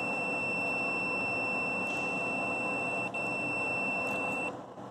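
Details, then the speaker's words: Bridgeport Model 6F power feed limit switch calibration: ohmmeter continuity beep about four and a half seconds cutting off cleanly at neutral, contact/no contact as expected; switch works properly. "all right so there we are contact no contact contact no contact all right we're good there"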